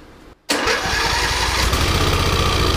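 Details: 2008 Troy-Bilt Pony riding mower single-cylinder after bent push rod replaced, not revved, valve cover off: short crank, catches at once, settles into steady even idle with no knock or clatter; runs healthy.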